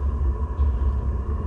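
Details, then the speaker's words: Vevor 3kW diesel heater in a UK camper van at startup: solenoid fuel pump ticks as it feeds diesel, then it ignites; steady low exhaust rumble with an even pulse, no popping or surging, lighting normally. "So that now be ticking, pushing the diesel up to the heater, before too long that'll actually sort of come up, ignite, and you'll hear the exhaust start up."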